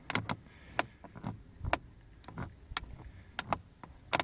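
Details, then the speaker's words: Lada Vesta door handle after silicone spray on the handle joints: twisting it still gives short, sharp squeaks and creaks in irregular bursts, so the spray didn't work. Door handle squeak. "когда начинаешь на скручивание делать крутить как бы эту ручку the sea узкие скрипты все равно остались отчетливо слышно значит этот способ не действует"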